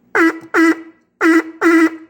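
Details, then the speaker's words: Fordson Major E27N tractor's vibrator horn after readjusting the tone screw that moved when tightened: four short buzzy honks in two pairs, steady raspy tone with clean starts and stops, horn working properly. "Yep, that's good."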